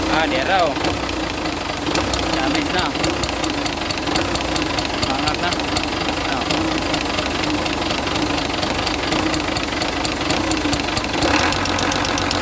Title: rocker arm knocking noise